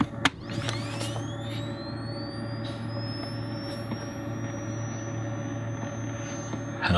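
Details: Salvaged Vivitar 2500 flashgun after simple fix (contacts clipped back in, 0 ohms): thin high whine climbing steadily in pitch for several seconds over faint low hum, red ready light; charging normally.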